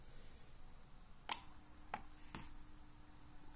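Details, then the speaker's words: Garden watering solenoid valve switched by a Relpol RM84 relay driven by a Sonoff Basic, bench test: sharp relay click, then two softer clacks as the coil loses voltage and the valve snaps shut; normal closing. "zawór nam się zamyka czyli na cewce nie mamy napięcia na linii normalnie otwartej (NO) nie mamy napięcia mamy napięcie na linii normalnie zamkniętej (NC) tu jest napięcie."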